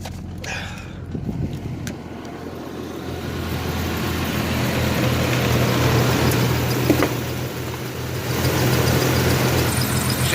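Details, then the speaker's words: 1994 Chevy S10 Blazer 4x4 4.3 V6 with 190,000 miles, just started; lumpy wavering idle about four pulses a second, rising and dipping, not smooth; voltmeter showing high charging voltage (19 volts, later almost 15) despite charged battery. "ain't really the smoothest don't seem like"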